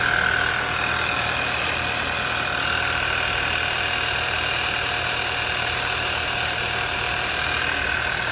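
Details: 2011 Audi A4 2.0T TFSI quattro after a full engine rebuild. The crank-no-start was solved after an off-position link at a timing notch was corrected. It now has a smooth, even idle with no knocks, misses or rattles, and it later drove strongly.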